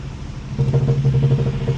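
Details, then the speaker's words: Blown Jeep bought at auction, driven home: low engine drone suddenly breaks into rapid rhythmic smacking at about 15 mph on the main road; heavy knock under load, cause undetermined. "As soon as we get out on the main road and I get up to like 15 miles an hour, the motor just starts smacking and something broke loose or it was broken already or or something, but it sounded terrible."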